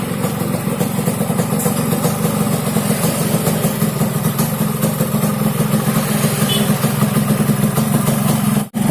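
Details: Yamaha RX King two-stroke motorcycle idling with a low, rough snoring drone and raspy burble underneath; snoring ("ngorok") engine noise, carburetor noted slightly wet, cause not confirmed.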